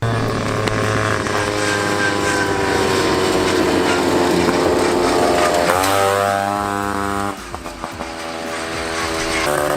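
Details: 1979 Honda Odyssey FL250 two-stroke after full rebuild with newly machined cylinder and DG expansion pipe, giving way higher top speed: crisp buzz climbs sharply through the revs and pulls hard with no misfires; running healthy.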